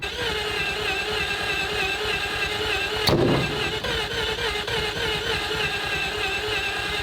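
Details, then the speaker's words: 3-rotor Mazda RX-7 warming up at steady idle: raspy, hissy exhaust chatter and a sharp pop near three seconds, from exhaust leaks at multiple points because the downpipe was not installed properly. "we've got exhaust leaks uh the guys didn't put on the downpipe properly and so it's you can hear it coming from multiple sources"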